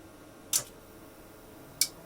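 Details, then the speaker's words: Tektronix TDS360 oscilloscope power-up using the front-panel membrane power button pad; two crisp relay clicks about a second apart, relays pulling in and staying in; normal power-up. "Don't know if you can hear that, but I hear the relays click, but it looks like they click right back off again."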